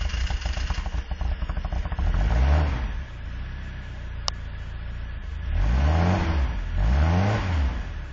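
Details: Truck on a very cold morning at 6 below zero: rapid, uneven cranking for about two seconds before it catches, then rough revs rising and falling; hard cold start with prolonged cranking and exhaust smoke.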